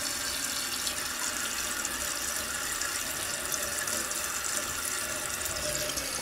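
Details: Toto one-piece toilet after rebuild with new flapper and fill valve (ball cock), fixing a loud whistling sound: smooth, steady hiss of water refilling the tank, no squeal or chatter; fill valve now refilling quietly and normally.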